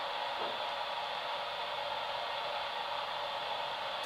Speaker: and if you listen to the radio you can hear that it didn't change so I'm going to stay quiet for a few seconds so you can hear it